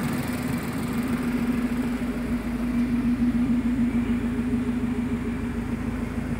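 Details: 2010 Mazda 3 MPS first start after forged engine build (Wiseco 9.5:1 pistons, Manley rods, balance shaft delete, BNR S3 turbo, 3" open exhaust no cats, 400hp tune): steady even four-cylinder idle, firm low drone, no knocks or misses; healthy.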